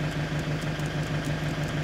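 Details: Movano/Master 2.8 DTI diesel van after starter removal and refit during a starting-fault hunt, fault traced to an earth connection; steady diesel idle with even low hum and regular firing pulses, no misses or knocks: normal idle.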